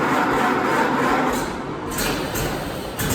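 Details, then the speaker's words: Ford Model AA flatbed truck, about 90 years old, first start since 1994 after flushing fuel lines, new battery and checking nothing was seized: loud, ragged chuffing that catches and keeps running, uneven at first but holding; normal first start. "And then I even told my son that, record this because I think it's gonna run. And you can hear in the video, he's like, it wants to run. It wants to run."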